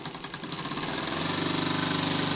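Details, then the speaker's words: JLS 13-2 model twin-cylinder steam engine, running slowly on compressed air at low pressure after a loose screw that jammed it was fixed; soft, even chuffing settling into a steady beat, running smoothly. "et puis je pense vous êtes d'accord avec moi c'est ça qui est joli c'est de tourner tout doucement"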